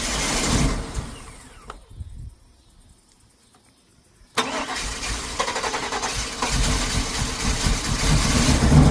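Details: 2000 Cadillac Escalade V8 with a crank-no-start fault, after electrical repairs: loud cranking, a near-silent pause, then it catches into a rising rough idle. The engine was flooded and smelled of gas.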